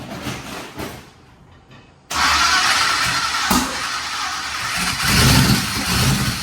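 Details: Twin turbo Nova engine: after a short crank it catches but runs rough and lumpy with an uneven, stumbling beat; only one bank firing.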